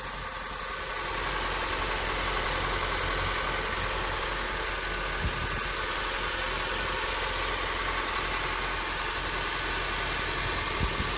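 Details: 2007 Honda Civic LX coupe petrol engine, 168,000 km (about 70k miles), switched from synthetic to regular oil, idling just after a cold start: steady hum with a thin metallic rattle; cause unknown.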